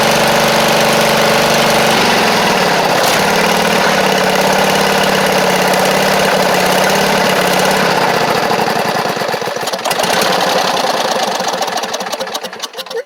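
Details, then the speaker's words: Poulan Pro (Craftsman) rider, Briggs V-twin: steady idle that starts stumbling and sputters to a stop; carb flooding heavily, fuel pouring in from a failed needle and seat, fuel pump thought fine. "Oh yeah, it is. It's flooding immensely now."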